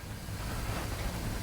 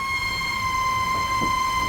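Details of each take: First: House plumbing with kitchen faucet running, after adjusting the pressure control (reducing) valve and cycling the master shut-off: soft steady rush of water with no whistle or squeal; squeal fixed, lock nut retightened. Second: House plumbing squeals whenever water runs: a steady high-pitched squeal near 1 kHz with faint clicks and knocks, blamed on the pressure reducing valve. Slight adjustment plus shutting the master valve off and on eased it.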